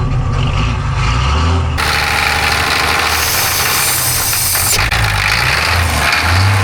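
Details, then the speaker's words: 1985 Ford truck with Hino Japanese diesel, first start needing ether: rough, uneven idle with an erratic loose knocking; oil pressure light/gauge flickering, engine knock at idle. "That knocking sound. That's a good knob. It might go away. Oil pressure. Well, the oil pressure lights or the gauge is flickering. It's going out."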